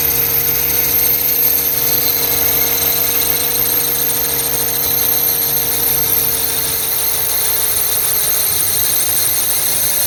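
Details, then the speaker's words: 2009 Toyota Highlander/Kluger 3.5 V6 running: steady high squeal holding its pitch from a noisy belt tensioner, gone once sprayed; tensioner and drive belt replaced; serpentine belt tensioner squeal. "you can hear the noise the tensioner uh i'm going to spray something and now it's gone"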